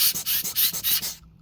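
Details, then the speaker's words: Razer Blade 15 (RZ09-0409) laptop fan, removed and spun fast by hand: dry, hissy crackle pulsing about six times a second. Bad fan bearings suspected; fix planned by removing the blades and adding grease. "I don't know if you can hear that crackling sound [Music] hear that okay so it's making some crackling sounds so what we're gonna have to do is we're gonna try and pull the propeller blades out and then add some grease hopefully that will fix it um it does sound like the bearings or something are bad"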